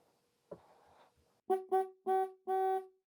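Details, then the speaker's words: Mid-1930s trumpet horn removed from a Model A, each horn tested individually on 6 volts after relay contacts were sanded: four short, strong brassy blasts, each starting and stopping cleanly. The horn works normally. "i'll apply six volts to each of them hold on wow works perfect okay that's one let's try the other one"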